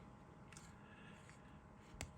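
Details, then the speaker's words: Fully serviced Sheaffer Snorkel fountain pen: turning the end knob gives a single small, crisp click in a quiet room as the snorkel extends normally. "there you go you hear that little clicking noise you can see the snowle is extended"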